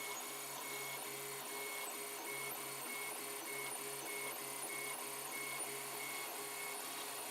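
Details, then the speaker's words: 3D printer mid-way through printing an LVDS controller box: quiet steady hum with a soft repeating tick about every half second; owner thinks it's the fans, unconfirmed. "hey that noise i'm not sure what that is I think it must be famines and everything you're bad"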